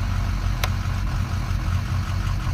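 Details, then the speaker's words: Auction truck's diesel fully warm, coolant and oil at temperature: uneven lumpy idle with stumbles, missing only at idle, worse with lights off; scan tool showed injectors dropping out, runs perfectly on the interstate; cause unconfirmed. "It's missing, or it's. I had IDS on it earlier, and it was like it was dropping injectors all over the place. Only at idle."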